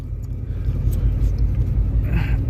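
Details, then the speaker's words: 1986 Ford Mustang just started after sitting all winter nearly empty of fuel: low, lumpy, uneven pulsing idle that never settles, not the happiest; cause not confirmed. "And you can tell she's not the happiest. I'm surprised it actually started that quickly, but I'm definitely glad though."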